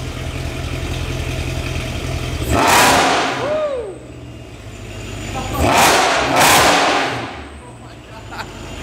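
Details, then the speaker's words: Mercedes E63 with port-injected M156 V8, newly fitted prototype supercharger, codes cleared, on a base tune: smooth steady idle, then crisp throttle blips rising and settling cleanly with instant response and no audible blower noise; healthy. "Oh, it idles great. This is just on a bass tune."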